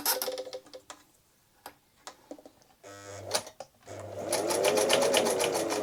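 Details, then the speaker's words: Singer 247 sewing machine, oiled and cleaned, sewing with thread tension not quite right; sporadic taps when slow, then a fast steady clatter near four beats per second with a clunk as speed builds, cause unknown. "yeah you can hear the clonking now when you get a bit of speed up you hear the clonking that's is definitely an issue"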